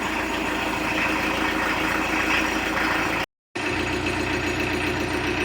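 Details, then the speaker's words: 1986 VW T25 with 1.6 JX turbo diesel, sitting since 2017, just started after earth, fuse and fuel-priming fixes. Steady, even diesel clatter at idle with a rattly top end, turbo clearing itself, no misses or knocks; healthy old diesel. "Sounds like a 40-year-old diesel. Nothing wrong with that. Turbo's well and truly giving itself a clear."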